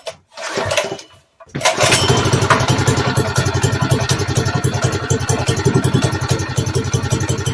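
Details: Arctic Cat Ramrod mini bike after carburetor repair with new O-rings, freshly fueled, choke on: a couple of short cranking tries, then it catches and holds a steady popping idle of about four beats a second. Runs fine.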